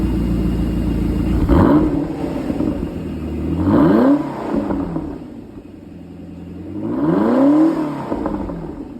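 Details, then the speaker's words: 2003 Lotus Esprit V8 twin turbo, flat-plane crank (recorded earlier, before the engine was drained of oil): three clean blips rising sharply and falling to smooth idle, Ferrari-like note. Normal revving. "Doesn't that sound amazing? It's very Ferrari-ish. Well, it makes sense because it's a flat plane V8, just like a Ferrari."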